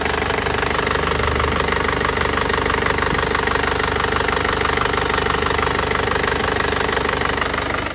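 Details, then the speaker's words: Isuzu Panther LS diesel after its engine was rebored with cast liners and its injector nozzles were serviced and adjusted, running Titan oil. It idles with an even, steady clatter and no misses, knocks or hunting. It limped before; now it is smooth and smoke-free. "kita serviskan noselnya sekarang suaranya sudah menjadi bening dan halus seperti ini menggunakan Uli Titan Ya mobil ini halus"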